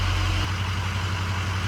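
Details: Ford 6.0 Powerstroke diesel after replacing cracked number 4 injector, hot restart after a few minutes off as head gasket check: deep, steady diesel rumble with even low hum, no misses or knocks; smooth healthy hot idle.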